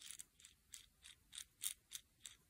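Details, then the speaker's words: VARIO enclosed tail rotor gearbox 1003/80 for a turbine VARIO Airwolf model helicopter, turned by hand after shimming: light, crisp ticks about three times a second; slight noise, correct gear mesh with a little free play. "makes a little bit of noise, not too bad."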